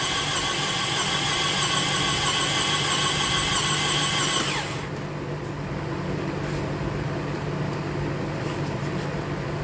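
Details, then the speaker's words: Toyota Camry that failed six days after an oil change; steady whirring crank with a high whine that cuts off halfway, then lower even churning; abnormal cranking noise, owner suspects engine needs replacing, cause unknown. "they said they need a motor and based on what it sounded like when I tried to crank it it sounded like I need a motor"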